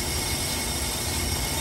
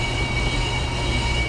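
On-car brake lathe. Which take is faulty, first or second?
second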